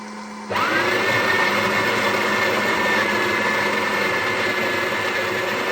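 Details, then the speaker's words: Breville Oracle Gen 3 BES980 grinder with a slow-grind complaint and error 30, set to grind size 22: the motor spins up to a flat high whine and grinding sounds laboured, a bit quicker but still slow. Worn burr. "That was a bit quicker, but still quite slow."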